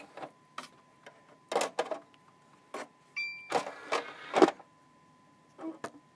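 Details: Xbox 360 Slim DVD drive with an old game disc inserted: irregular bursts of clicking and brief scraping as the disc spins, over a faint steady tone, as the laser bumps back and forth very fast.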